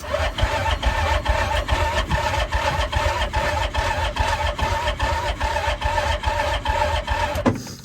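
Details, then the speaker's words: Hisun 700 side-by-side at about -40 in Alberta: steady, even starter cranking about 2.5 beats a second that never catches; owner suspects flooding after three primes and one firing, considers a colder spark plug. "well that wasn't a real Fair test because I'm sure I flooded it I gave it three primes then when it fired once I'm sure that's what happened"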